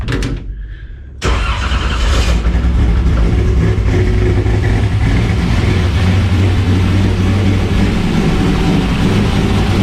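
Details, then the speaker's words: 1981 Camaro C-Prepared autocross car after Holley HydraMat install to fix fuel starvation: brief crank catches cleanly and settles into a steady, even idle with no stumble or misfire; starts and runs normally, not yet driven or raced. "Okay, so obviously we need to drive it and race it, but I'd say that works."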